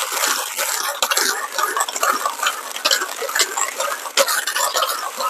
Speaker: let's start i'm just grinding at normal speed i'm not gonna speed up